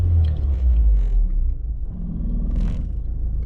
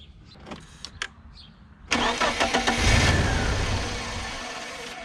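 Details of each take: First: BMW E36 Compact M43 after a drive, with the AliExpress idle control valve fitted alongside the OEM BMW sensor. It idles lower than normal, about 600 rpm, with revs rising and sagging and not stabilizing. This is a hunting idle; the owner hopes further driving lets it learn. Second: BMW E36 Compact with M43 engine, after its stuck, corroded idle control valve (which idled at about 1200 rpm) was replaced with a cheap AliExpress ICV and a rubber gasket. It starts promptly and settles to a steady idle of about 800 rpm without hunting.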